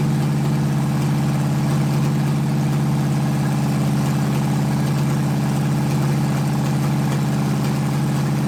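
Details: 1980 Dodge short-bed truck big-block V8, first run in 14 years, during cam break-in after converting from points back to factory electronic ignition; smooth even drone at steady elevated speed, no stumbles, ticks or knocks, normal running.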